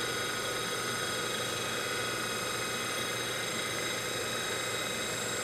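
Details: DC motor from a 1974 Karmann Ghia EV conversion, spun on the workbench from an old weak 12 V battery sagging to about 9 V, contactor clicking: smooth constant high hum and whir, no rubbing, grinding or speed hunting; runs fine.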